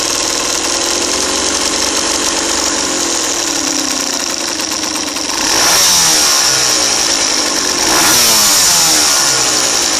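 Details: Kawasaki KMX 125 two-stroke: a raspy note rises sharply on two throttle blips with a harsh metallic edge, clearly heard under throttle; the owner suspects a broken bearing, unconfirmed.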